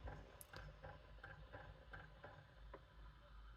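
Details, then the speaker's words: PS1 console disc drive reading a disc: faint regular chunking clicks about three per second over quiet hum from a worn laser lens assembly; whole drive assembly needs replacing. "lens assembly is still a little loud you can still hear that chunking noise but this lens also needs to get replaced"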